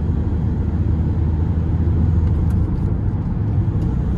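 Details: Mercedes Vito 2017 van after gearbox rebuild, driving through fourth, fifth and sixth gear: steady engine and road rumble with no gear whine. Before the rebuild the whine was unbearable.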